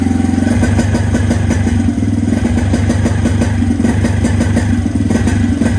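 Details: 2017 Suzuki QuadSport Z90 90cc four-stroke ATV with fresh fuel and the old spark plug: single-cylinder steady even fast idle with background music; running normally.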